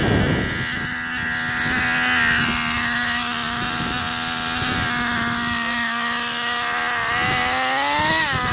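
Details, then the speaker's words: 2008 Traxxas Revo Platinum Edition 3.3 nitro RC truck, first start after 2.5 years' storage, with wind noise. A high buzzing nitro engine holds a steady pitch, then blips up. It runs super rich, with very dark blue exhaust smoke. "It's running rich. If you notice, the exhaust is super dark blue. It's running super rich right now, but it's fired right up after 2.5 years."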